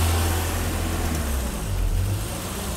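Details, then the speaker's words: High idle at about 1390-1400 rpm on a warm 1984 BMW 318i (M10, 65,000 miles) after new distributor and timing reset: smooth, steady hum, no misses; idle control valve out of adjustment. "Idle right now, 1390, 1400. I don't believe I have any more adjustment in the idle control valve."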